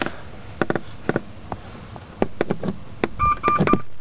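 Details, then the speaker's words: 1996 Range Rover P38, mic in footwell, stored EAS air suspension fault: scattered clicks then quick high dash chirps from the fault warning, stopped after clearing with an EAS Buddy Box via OBD2 port. "in the background you can hear the es fault chirping away it's cycling on the dash as You' expect during an as fault"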